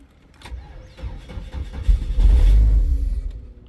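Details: 2002 Chevrolet S10 2.2 with starting fluid sprayed in: low starter churn grows rougher but never catches, a crank-no-start. Spark is present; a bad valve was found afterward.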